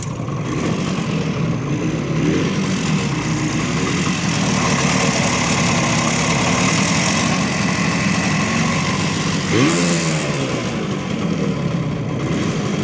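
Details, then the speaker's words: 1970 Suzuki T350 Rebel two-stroke twin, long unused, with spark and compression confirmed and B7HS plug: uneven putter surging once and sagging, never settling; struggling to stay running, hard to warm, carburetor suspected. "uh stay running stay running come on maybe I'm getting out of boat hard to warm"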